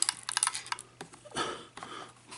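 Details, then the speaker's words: Loose SD memory card rattling inside a clock camera's housing as it is shaken: light, sharp ticks in quick bursts; the card got stuck inside and the owner thinks wiggling it might free it. "it and arranging it in some way, the card might come out. I don't know. I haven't really persevered with it since it really got stuck."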